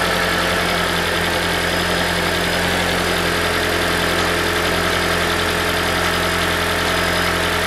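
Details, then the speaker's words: 2012 Toyota Prius V 1.8L 2ZR-FXE hybrid at idle: light, loose metallic rattle from the exhaust heat shield, whose two metal mounting washers are worn inside. "so we found the rattle this is common problem in the the psv model so they're coming exhaust shield uh top off in the exhaust see that one making rattle"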